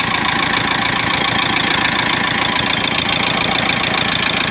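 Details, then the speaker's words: Mitsubishi diesel after a snapped timing belt was replaced with new belt, idler and tensioner bearings, fuel line opened to bleed it; idles with even rapid clatter at steady speed, no hunting at all. "देख सकते हमारा गाड़ी जो थोड़ा भी hunting नहीं कर रहा है जरा सा भी हंटिंग नहीं है"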